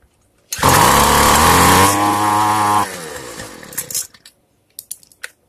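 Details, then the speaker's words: Free two-stroke weedeater after the carburetor reset (fuel screw fully closed, then 1/8 turn open): it fires at once and holds a high, steady buzz, then winds down; it now starts and runs fine, and the idle, low and high screws are next. "Right now it's firing a lot better than when I first started, so now I need to increase the idle screw so I can fine tune the low screw and the high scr"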